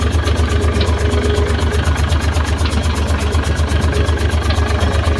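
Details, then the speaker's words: Fuso 6M70 diesel truck engine restarted after repair, exhaust not yet fitted: even idle with about four regular pulses a second, no knock or miss, now quiet with no more rattling. Normal idle. "Good. Tahimik na. Wala nang lagataka."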